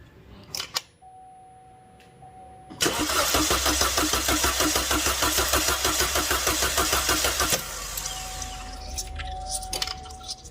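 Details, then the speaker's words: Chevy Cruze 1.4L after serpentine belt, alternator, AC pump, tensioner, water pump pulley and valve cover reinstall, cranking to prime oil: even, brisk starter cranking about three compressions a second for nearly five seconds, not firing; healthy crank, no start. "yeah that's what we want all right guys that one cranked nice that's what we want no start but crank"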